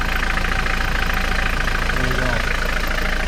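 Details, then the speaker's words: 1994 Mitsubishi Delica L400 diesel, 29 years old, running on a diesel fuel additive. Steady, even idle clatter with a low regular beat and no misses or knocks; good vacuum and almost no blow-by. Healthy idle. "I use this stenadine diesel fuel additive it sounds happy the good stuff never hurts your diesel if you use it properly"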